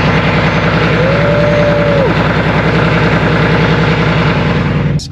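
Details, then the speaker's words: Mercedes CLS63 AMG M157 engine, cold start: loud idle with short rising whine, then ragged uneven stumbling beat; misfire began after switching from E85 tune back to 91 tune, spark plugs and coils to be replaced. "basically the cls has been down ever since i switched it off the e85 tune and put it back on the 91 tune i started getting a misfire"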